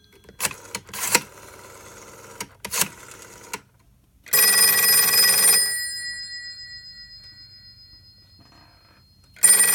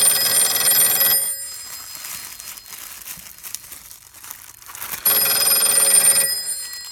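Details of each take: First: Western Electric 302 telephone, newly fitted with spade lugs onto a connection block, tested after refitting the cover: two bright, clean, even bell rings with a long gap between them. The ringer is working normally. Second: Western Electric 302 telephone on a makeshift taped direct-wire connection as the wrapping is undone: bright bell ringing cuts out for a few seconds then resumes; intermittent ringing from the loose wire connection while the line keeps ringing.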